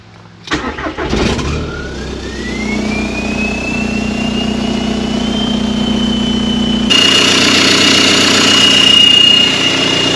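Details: Barn-find VW Caddy with TDI diesel swap, N75 valve and turbo actuator plumbed, glow plug relay still fitted: cranks briefly, catches cleanly, settles to steady diesel idle with rising turbo whistle; starts and runs properly, fuel smell noted.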